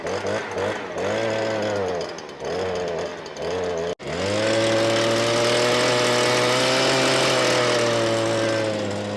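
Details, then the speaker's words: Stihl BG86 blower, customer complaint of bogging, gooey residue around the newer-style carburetor, after tune-up: revs surge and sag unevenly, hanging at a flat drone; carburetor faulty, to be replaced. "all right y'all see how it's acting I ain't even going to fool with it I'm putting a new carburetor on it"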